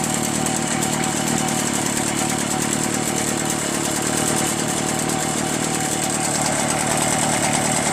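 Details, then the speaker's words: Free curbside Echo PB-403T backpack leaf blower, two-stroke, after carburetor cleaning and magneto reinstall, running with the busted kill wire removed: a steady, even buzz with no surging or misses. Normal running. "Kill wire is now removed. That was it. So the kill wire is busted."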